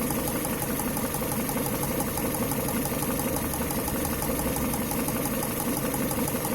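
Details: Engine with an unexplained knock: rapid, fairly even knocking about three times a second over a steady idle; source unclear.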